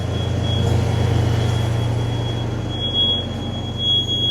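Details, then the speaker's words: Vacuum truck pump at low revs reaching full pressure: steady low drone under a thin constant high whistle from the dump (knuckle) relief valve; normal vacuum pump operation with relief valve whistle. "You'll hear your dump valve or knuckle valve, they call it, start to whistle a bit. That's it going down now. It's building pressure. Building pressure."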